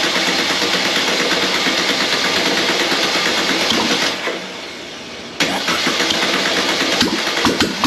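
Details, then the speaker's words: Air-cooled 1600cc VW Beetle flat-four, candidate engine for a 1974 VW Bus, run with no exhaust or headers: loud, raspy steady running with one brief rev dip, even firing, no knocking; good running engine. "now that is what I'm talking about we got that to finally run I didn't hear any knocking anything like that sounds freaking good"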